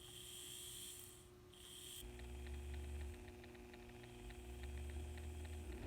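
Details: N scale Kato F7A locomotive after overhaul and cleaning, tested on track: soft, steady motor hum with constant pitch and some low track rumble. Motor runs smoothly, normal running.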